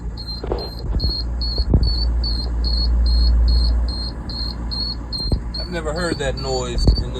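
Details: 17 ft flatbed work truck at startup: quick high chirps repeat steadily, three or four a second, over a low idle rumble; unfamiliar chirping noise of unclear source, truck left parked at the shop.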